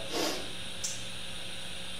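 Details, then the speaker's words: 30-year-old Roland JC-120 amp after partial repair that removed some chorus and reverb noise. A steady high hiss remains under the amp after a brief noise burst; this inherent hiss is typical of the model. "It still has a hiss to it. They're famous for their hiss."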